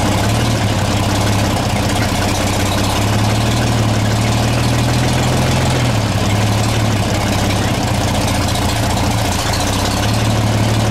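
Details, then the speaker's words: 1934 Chevrolet 1.5-ton truck, first start after about 70 years, cleaned carb, sanded points, fresh gas, 6-volt battery, cold with choke: deep, even idle with steady low beat, no knocks or stumbles, no smoke, about 15 psi oil pressure; normal idle. "started it can't believe it ain't even making any smoke"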